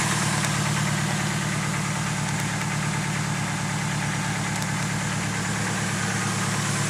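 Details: Built engine idling steadily with a light, fast tick about three per second, likely from the top end; lifter tick appeared a few months after the full build, cause unconfirmed.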